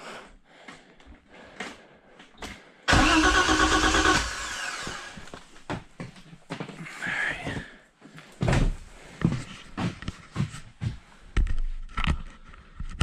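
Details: BMW E30 325is pulled from the woods after years sitting; about a second of fast starter cranking with no firing, then only clicks; cranks but won't start, cause not confirmed.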